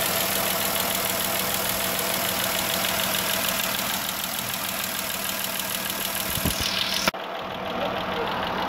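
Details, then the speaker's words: 3.6L Pentastar V6 van idling with a steady quick valvetrain tick from the rear head (bank one), recorded before repair; caused by a broken roller rocker arm with failed bearings; fixed by replacing the camshaft. "There's no reason for me to bench the bank two here, when it's ticking from the rear head. Now, I have the broken rocker arm and the camshaft right here."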